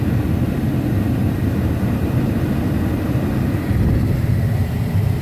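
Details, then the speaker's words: 1995 Chevy Suburban: steady rush of air with low motor hum, no ticking or scraping, modes switching from defrost to feet; blower and mode door motors working normally. "Anyways, it is working. Everything's working. The motors, these things are working."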